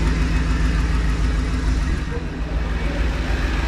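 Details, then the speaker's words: 2010 Ford F-150 pickup, started after lower steering shaft replacement and maintenance, idling: loud, deep, uneven rumble with raw unmuffled open-pipe drone; exhaust broken off ahead of the tip, owner says exhaust needs fixing; exhaust leak at idle. "got to get that changed either way I got to get that exhaust fixed but sounds good make sure nothing's leaking"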